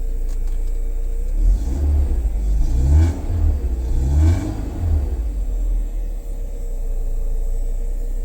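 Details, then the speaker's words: BMW E36 with M43 engine, hard-starting, after fitting a one-way check valve to hold fuel pressure (17 psi): catches on the first crank, clean rising and falling revs, steady low rumble, no stumble or misfire. "ก็จะดีกว่าไม่มีวาล์วกันกลับนะยังไงก็สตาร์ทชึ่งเดียวติดอยู่"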